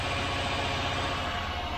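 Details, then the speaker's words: Rover V8 with a new camshaft and hydraulic tappets, 30 lb shims on both banks, held at about 1500 rpm: a steady, even note with no ticking or tapping, so the tappet noise is resolved and the engine runs sweetly. "as you can hear it's running running quite sweetly actually"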